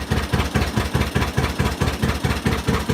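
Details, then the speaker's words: John Deere Model A two-cylinder tractor, first start in eight years, about 50 degrees out: slow, even thumping about two beats a second, every pulse firing cleanly; a healthy lazy slow idle. "the wages oh man that's so nice to have it a old soul slow like that they used to have contests with you would do that"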